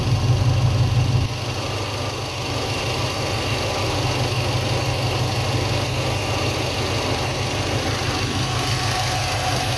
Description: When the ignition wire is shorted, the RPM comes down slightly, the AFR jumps up and the engine starts chugging a little bit. This indicates that cylinder is not dead.